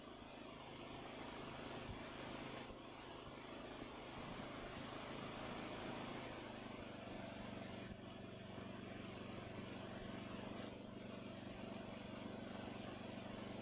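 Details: Ariens mower with Nikki carburetor, after carburetor cleaning and rebuild (problems with cheap Amazon rebuild parts): small single-cylinder engine running steadily with a slight occasional hunt, settling to an even idle; runs smooth, very little surging.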